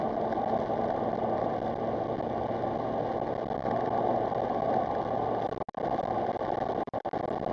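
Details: "Beastie", with a restored original Brabus exhaust, driven gently after repairs including replacing badly corroded, rust-split coil packs, on a misfire test drive: a steady, even engine note under light driving with no dropouts. Normal running without misfire.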